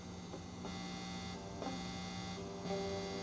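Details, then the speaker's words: Washburn Status Series 1000 bass plugged into a 10-watt amp: constant quiet buzzing hum of unchanging pitch with nothing played; grounding issue in the electronics. Ground hum. "hear that you have grounding issues in the electronics and just replace the battery and then know that there's a ground issue with the electronics so"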